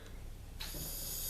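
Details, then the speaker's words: Rochester Quadrajet carburetor that was flooding, after fixing: soft, steady hiss of air blown freely through the inlet upright, blocked when inverted; normal air flow through float valve. "air going through. Turn a carburetor upside down, I can't blow it off. So, we know it's fixed."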